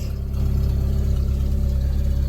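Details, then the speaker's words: Chevy S10 drift truck in neutral after a tune-up with new plugs, wires and coil; loud, deep, even exhaust pulses and a steady rumble with no misfire. It runs much better than before. "Golly. This thing ain't never barked like that. Oh. That sounds a lot fucking better. Think we found the issue, boys."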